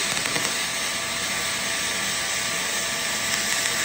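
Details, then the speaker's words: HTP MIG 2000 spool gun on a 1/4 in aluminum coupon with 0.035 4043 wire, second run at the same settings as before. Steady, even hiss holding one level without pops or sputter: a smooth aluminum MIG arc. "And you can hear just how the arc runs that it's so much smoother and it just does what it's supposed to do."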